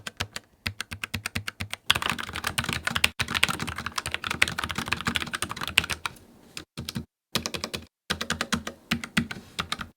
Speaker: The linear red switches have no bump, so there's no tactile feel to them. The only part of the keystroke you feel is when the key bottoms out, which gives them a super smooth and fast typing motion, but without any resistance. These also have a much quieter sound than the Clicky Blues.